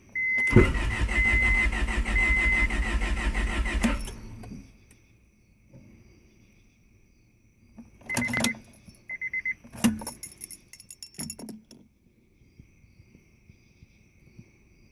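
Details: Honda: steady rapid cranking for about four seconds under a chiming warning, engine never catches, then only scattered clicks; cranks but won't start.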